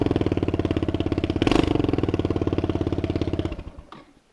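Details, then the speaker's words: $100 small motorcycle restored for a beginner rider: quick, even putting beat about fifteen pulses a second, steady and a bit loud before shutdown; normal idle. "and that thing is awesome it runs extremely well it's a little loud but it's not bad"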